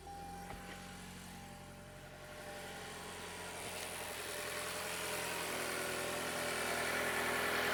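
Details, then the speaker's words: Toyota Camry with 77,000 miles, direct-injection engine, started after oil and filter change: steady idle with light, even rapid ticking on top; loud direct-injection injector noise, normal for this engine. "can hear that direct injection, how loud it is. These engines, they sound like crap."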